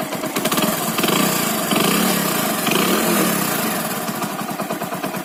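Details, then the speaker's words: Small single-cylinder bike idling after piston noise repair with new cylinder block fitted and head refitted: steady, even beat with no knocking or rattle from the top end; piston noise gone, normal running. "देख रहे कोई साउंड नहीं है गाड़ी में, गाड़ी चल रही है।"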